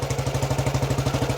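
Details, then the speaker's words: 1935 BSA Blue Star 499cc single, freshly restored, kick-started cold, no choke, full advance, cold oil: even, strong thumps, a slightly fast cold idle; starts well, normal. "Just take it over the top. Starts really well."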